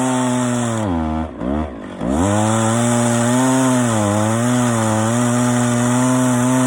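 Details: Stihl 041 AV chainsaw after rebuild (previously overheated and shut off after 10 minutes, badly scored piston), freshly ground chain with rakers taken down far; strong steady buzz dips briefly as chain bites knotty ash, recovers cleanly; healthy cutting.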